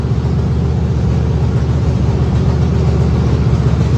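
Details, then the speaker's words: Factory Stock dirt race car V8 after fitting the correct weighted flywheel, previously shaking badly: strong even rumble with steady beat, no shudder or lumpiness: normal running. "Well, I call that a success, folks. [laughter] Sounds good, too."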